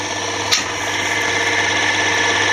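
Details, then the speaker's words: Drill press with lowered motor, belt drive, runs on lower pulley speeds; top pulley shaky. Steady motor hum, constant high whine and belt whir rising on startup, no grinding or knocking; owner guesses noise is from the shaft. Normal running. "I like how it works and feels don't know why it has this noise when it comes up but I guess it's from the axle in the thing"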